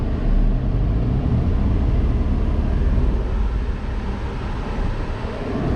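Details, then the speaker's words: Nissan Xterra, after installing new AC compressor and serpentine belt, refrigerant being added: steady low idle rumble dropping slightly as the compressor engages and loads the engine; runs even and healthy. "I can feel the compressor's actually on because the RPM's dropped."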